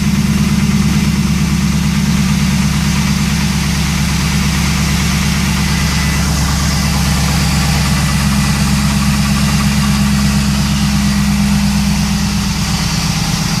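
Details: 2001 WS6 Trans Am, six-speed manual, 41,400 miles: steady V8 idle with a fast, even tick about three a second, louder than when bought. It quiets but does not stop after 20 minutes; piston slap, a bent pushrod or lifter tick is suspected.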